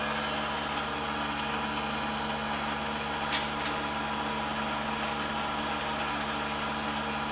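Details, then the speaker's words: PM-728V-T mill spindle at maximum speed, 4375 RPM: steady, even high-speed hum with no knocks, little vibration felt by hand; well balanced, normal. "pretty quiet in the vibration I put my handle on it I don't feel much it's well balanced so"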